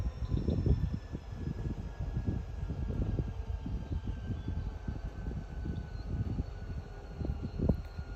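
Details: Chicago and North Western #6847 locomotive failing near Seeman Road: deep, uneven diesel rumble with repeated surging thumps that never settle into a steady pull as the engineers repeatedly fail to move the train; engine failed, cause unknown.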